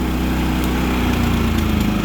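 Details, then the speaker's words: Propane-fuelled generator in economy mode, no load, running at lower power draw and less wattage; low, steady thrum at reduced engine speed, even beat, no misses or knocks. Normal economy-mode idle. "So that's economy mode because it's running at a lower power draw. It'll put out less wattage."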